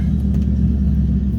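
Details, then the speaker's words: 1998 Mustang Cobra V8 shortly after a cold start, driving out early morning: deep, smooth rumble with no tapping or ticking while cold; the tapping only starts once the engine warms up. "So, as you can tell, when it's cold, it doesn't do the tapping sound."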